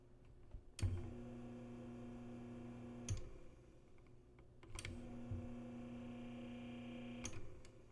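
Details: Panasonic RE-7070 8-track player/AM-FM stereo tuner, fully working estate-sale find, running with no cartridge: near-silent steady low hum between two switch clicks, no rattle or flutter; the tape transport itself makes almost no noise, runs healthy.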